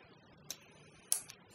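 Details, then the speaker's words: Relay in an ATtiny25/MQ-2 smoke-exhaust circuit on 12 V, triggered by lighter gas at the sensor: a couple of sharp, isolated clicks as the relay pulls in; switching sounds normal. "Turn it on, and you could hear the click from the relay when the light's on, and in a minute or two or a few seconds it'll stop once the gas clears."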